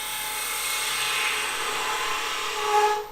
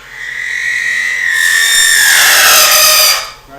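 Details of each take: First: Chatter tool texturing a spinning top on a wood lathe: fine, buzzy, high-pitched rasp as the tool bounces and vibrates on the wood, normal intended chatter. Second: Wood lathe chatter tool held against spinning wood while making spinning tops: shrill buzzing screech about two seconds as the tool deliberately vibrates, indenting fibres into a pattern; faster speed gives tighter pattern, slower more open.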